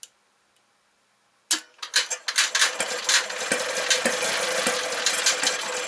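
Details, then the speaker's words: 1968 Kohler 6.5A27 marine genset, under 300 hours, being rehabbed: light uneven cranking about twice a second, sounds close but never catches; starter cuts out as it begins to fire, gas blowing from exhaust port, gasket found shot. "i'm stumped that really sounds like it wants to start and we're blowing a bunch of uh looks like gas out the exhaust port"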